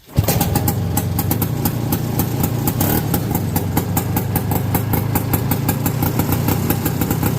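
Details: 1969/1970 Sears snowmobile with single-cylinder Kohler engine, sat outside about a year, floods easily: catches and settles into a steady, even putter with no misses or knocks; running normally.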